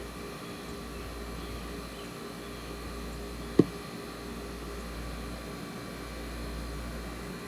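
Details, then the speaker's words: Vintage window air conditioner at its first start-up of the 2021 cooling season: a soft, even low hum with a faint fan rush and no rattles or knocks; runs normally. "could actually sit there and listen to that all day i should get like 10 i should get like like one of those uh 10 hour long audio clips for people that want to sleep to it"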